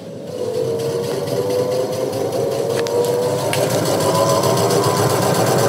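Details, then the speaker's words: Whirlpool 6.5 kg washing machine after gearbox change and PCB trouble, running with original capacitor refitted; even motor whir rising as drum picks up speed, no knocking or scraping; normal running. "बढ़िया चल चुका है और इसको हम बंद चालू करेंगे"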